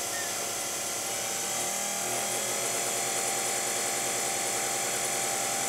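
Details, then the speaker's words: Pump motor at 120 volts, same as plugged into the wall: an even, fairly quiet high-pitched hum with a fine steady buzz and no knocking or grinding. Normal running. "and that's it's normal um if you were just to plug it into the wall that's what it would sound like again pretty quiet"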